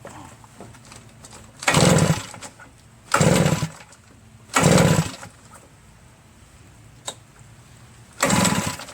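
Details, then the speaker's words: RedMax EBZ8050 backpack leaf blower, reassembled from pieces, with fuel, spark and compression checked. Throttle opened wide and brake cleaner sprayed in. Four pull-start bursts, then it never runs. Cranks but won't start; owner suspects carbon-stuck piston rings. "And there was one pop. Went pop, just like that. Nothing else happened. I've been pulling this for like 100 times."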